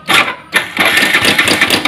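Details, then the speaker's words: Yamaha Vixion Advance motorcycle, recorded low near the engine: a rough metallic clatter rides over the idle just after start-up. A cam chain problem is suspected, not confirmed. "tapi kalau dari suaranya ini rantai kampratnya wis bermasalah nanti kamprat bermasalah"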